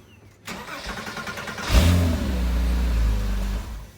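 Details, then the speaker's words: Porsche Cayman after starter replacement: brisk short crank, engine catches cleanly and settles into smooth idle, no knock; the start-up knocking/clanking and slow, hesitant cranking were caused by a failing starter, now fixed; cold outside. "sounds good now see how fast it turns now yeah it actually was struggling remember i told you i hesitated when i was trying to start it"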